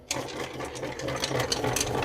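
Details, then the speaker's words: Pushrod from a 1965 Chevrolet Impala 327 V8 during rebuild, rolled across a flat surface: uneven rapid wob-wob clatter instead of a smooth roll; pushrod is bent. "But here is the best way to see if your push rods are bent. You get a nice flat surface and then you simply just roll it across. You can hear that wob wob wob wob wob."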